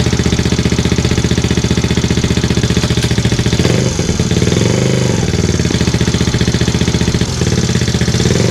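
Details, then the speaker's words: Benelli single-cylinder bike with 1500 miles, first start after 6-disc clutch kit and stiffer springs fitted and oil refilled: even idle thump about three beats a second with slight blip midway; sounds healthy, clutch works. "sounds like it works feels like it works nothing left to do now except for ride it on the street get it through the gears"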